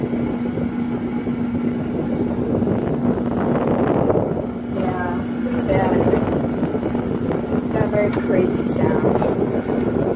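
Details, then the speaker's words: Old, roughly 100-pound Sharp Comfort Touch window air conditioner on high fan speed: steady loud low hum with heavy fan rush, quieter on medium, nothing rattling. Previous owner dropped it out a window. Cause unclear. "And it makes a really loud humming sound when it's on high."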